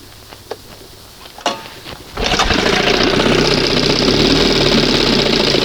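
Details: 1971 Johnson 20 hp two-stroke outboard, after flooding, throttle barely open before first mark: a few knocks and pulls, then catches into a fast even buzzing idle; owner says open it a hair; idle needs adjustment.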